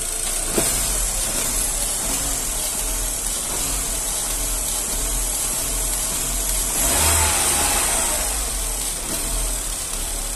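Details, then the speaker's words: 2009 Astra idling after faulty fourth injector replaced with new Bosch one; smooth even idle, no shaking, one brief throttle blip settling straight back; normal idle. "aí agora ó pessoal o motor que redondinho que tá ó tá vendo o motor nem tremer nem tremer ele não treme"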